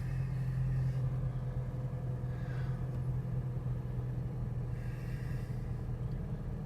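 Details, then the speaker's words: Chevy Cavalier GM four-cylinder, 73,811 miles, started on a slightly low battery: a smooth, even idle rumble with no banging or clatter. It sounds healthy and normal. "sounds like a typical GM chevy four-cylinder I don't hear anything banging around clattering anything like that"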